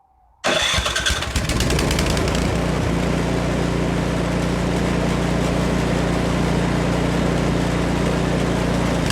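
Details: Almost-new Remington 24-inch two-stage snowblower (MTD, 208cc Powermore), warm, primer only, no choke, after replacing the Torx spark plug with a new NGK: catches within half a second and settles into a steady, even low thrum; healthy start.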